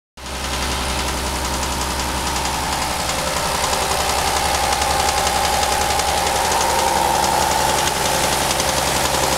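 Steady idle with a sharp, regular knock at about four per second, metallic and constant; classic bottom-end rod knock.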